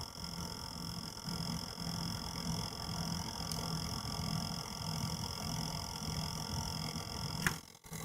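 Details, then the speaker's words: Used Radeon R9 Fury X AIO cooler pump, bought as excellent condition and possibly damaged in shipping: several steady high-pitched whines over a soft, uneven low churn; pump failing. "but there we go that's the sound of a fury X pump and the throes of death"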